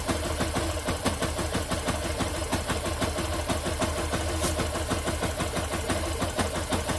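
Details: Engine with a strange noise: fast, fairly even ticking at roughly three per second over a low engine drone. Abnormal mechanical tick, source not identified.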